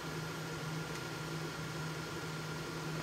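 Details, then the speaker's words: Prototype Xbox 360 XeDK after CPU replacement by BGA rework, running the light shafts GPU test at about 100 FPS: steady fan hiss with faint high coil whine changing under GPU load; running normally. "You can hear, I don't know if it's coming through on the camera, but I can hear the coil whine change now that the GPU is under more load."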